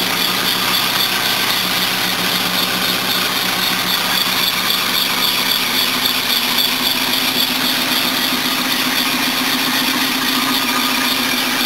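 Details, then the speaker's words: 1976 Mercedes W123 230 at idle on first look-over: steady idle under hissy puffing, squeaky belt chatter and tinny rattling from noisy belts, a leaking exhaust and a loose vibrating bracket; engine itself seemed okay. "okay that needs a little bit of work all the belts are noisy exhaust is leaking and one of the brackets is vibrating like a [ __ ]"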